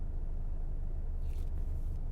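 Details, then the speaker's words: 2013 BMW 520d diesel, rear-wheel drive, about 240,000 km, idling at traffic light with auto start-stop off: smooth, even low rumble with faint fine tick-tick audible near the front, not harsh like trucks; healthy idle. "顺顺的哦。只是你如果用心听，你的耳朵如果靠近这边，靠近前面一点，你就会听到有哒哒哒哒哒一点点细微哒哒哒的声音啦。我觉得这个声音是不会令人难受的，是还 OK， 不像那些罗里啊，不像那些 pickup trucks 这样子的，它是比较细的。"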